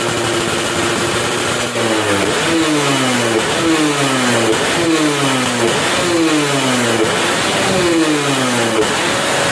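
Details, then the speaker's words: Yamaha F1ZR two-stroke after porting and engine setup: repeated sharp blips with pitch climbing quickly and dropping back cleanly; responsive, strong top end, revs out freely and healthy. "seperti itu suaranya ya udah biasanya responsif padat atasnya juga ngisi"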